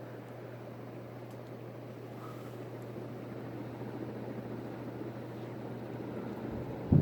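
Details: Newly installed Hunter Original ceiling fan running at max speed; owner notes it moves/twists when switched on. Soft steady whoosh with low constant hum, no wobble, ticking or scraping, then a bump at the end; runs normally.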